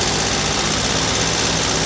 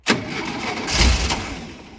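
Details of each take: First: Over-40-year-old Volkswagen T2 Bay Window camper's air-cooled flat-four started after 18 months parked, steady even hiss and rumble with no knocks or misses; normal idle. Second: Over-40-year-old VW T2 Bay Window camper, cold, started after 18 months parked: the starter cranks with a brief rough catch that fades out without running, a crank no start, and the battery may be dying.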